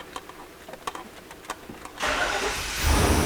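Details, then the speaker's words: 1995 Chevy Suburban K1500 5.7L after replacing the ignition control module to fix a cranking no-start: about a dozen even cranking beats, then it catches promptly and revs cleanly, a normal start. "a look at that wow it started right up all right perfect"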